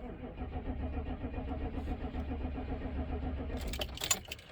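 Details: 1996 Chevrolet K2500 6.5 turbo diesel after fuel line repair: starter cranks evenly at about three beats a second but engine won't catch; air in fuel system, needs bleeding.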